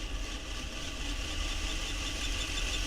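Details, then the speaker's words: Hornby Locomotion No. 1 model locomotive on a rolling road, light tender weighted with an elastic band: thin high squeak over the motor hum as it picks up speed; dry running gear suspected, to be oiled to locate it. "there you can hear the the squeaking so what I'm planning to do is just to add a tiny bit of oil to different locations and see if we can locate where where the squeak is coming from"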